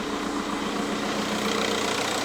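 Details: Cold petrol engine that is slow to start, after an oil-in-coolant problem was fixed: light, loose chattering mixed into the idle. Owner suspects the tensioner and will replace it before buying an alternator.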